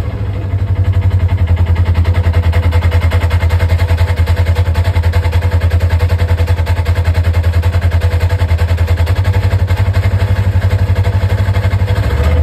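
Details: Polaris RZR, engine running in park with the CVT cover on: steady low idle with a regular rumble of about ninety beats a minute from the belt drive. CVT noise at idle, cause not yet known.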